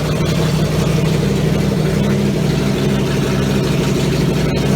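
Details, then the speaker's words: Triumph Stag V8 on a test bed after full rebuild, front exhaust pipes fitted and carburettors further tweaked; deep steady burble with even beat, no hunting or misses, smooth normal idle. "Had a little tickle with the carburetors again, and hopefully sounds a bit better for you."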